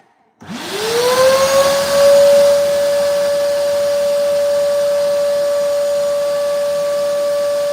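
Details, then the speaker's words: Wet/dry vacuum cleaner sucking up water: the motor spins up into a thin, high, choked whine that never reaches a full roar. The vacuum is struggling; the owner later finds it was blocked. "Okay, so I think I have broken my vacuum cleaner because it doesn't really want to work. And I'm not too happy about that."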